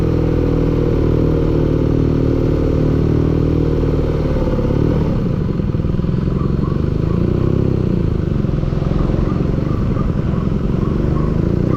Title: engine knocking